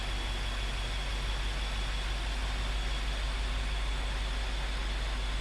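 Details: BMW F13 650i N63TU V8 first start after oil pump chain tension service, oil filter pre-filled: steady deep idle with even low burble, no knocks, ticks or rattles; normal idle.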